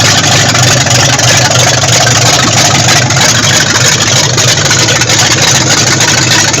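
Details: Freshly rebuilt 440 V8 in a 1974 Dodge Monaco running for the first time after the rebuild: loud, even idle with steady burble, no knocks or ticks; normal running.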